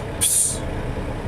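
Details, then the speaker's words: International truck, air brake inspection at idle, near 100 psi after passing the 40-second build test. The governor cuts out, expected at 125-135 psi, and the relief/dryer purge gives a sharp, short hiss of air; a normal cut-out. "the relief valve relieved in itself indicating that the governor is no longer charging the system that was a little tough that you heard of relief of that so we know our governor's turned off now"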